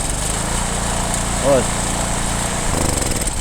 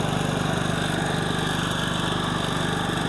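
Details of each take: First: Heavy generator, said to be German, that only runs on choke: runs steady on choke, then sags and stumbles as the choke is eased off; clogged carburetor jets suspected. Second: Reportedly German-made generator that had run only on choke, now running without choke after carburetor cleaning and linkage readjustment. Steady, even small-engine buzz with a regular two-per-second pulse and no surging.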